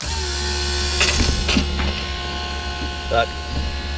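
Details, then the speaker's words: 1990 Pontiac Firebird third gen, long sitting, fuel lines put straight into tank for testing; steady loud high electric whine over a low hum as the fuel pump primes; injectors suspected not working. "Pump's loud and annoying. Let's see what she does."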